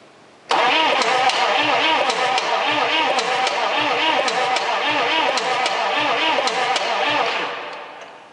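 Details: Chevy Suburban 6.5 turbo diesel with new battery, no diesel released at a loosened injection pipe: starter churns at a steady two beats a second for about seven seconds but never catches; crank, no start.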